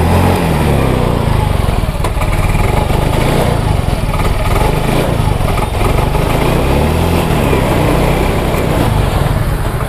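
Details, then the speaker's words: Yamaha Mio M3/Mio J scooter with good fuel pump pressure, good plug and cap, no MIL code history, and injector already cleaned: ragged, stumbling idle that never settles. The damaged injector was the cause, and replacing it fixed the problem. "itu ya teman-teman jadi motor dalam kondisi brebet dan tidak langsam"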